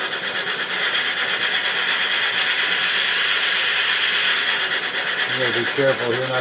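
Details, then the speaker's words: Used Duo-Art rotary vacuum pump, motor-driven, pulling against a vacuum gauge under load. Steady airy hiss with an even high hum that holds constant; the pump chugs away and sounds healthy under load. "And you can hear it chugging away."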